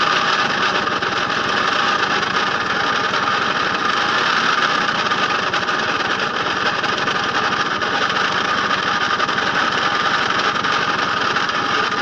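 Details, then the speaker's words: Puch Mini Maxi two-stroke moped, recently unseized, fuel line reconnected without inline filter: harsh, raspy drone with no clean beat, very smoky and steaming; runs rough, cause unknown, transmission oil suspected; flywheel clattering against coils suspected earlier. "very smoky sounds horrible and I don't have to shut the up a minute is important mmm she's steaming"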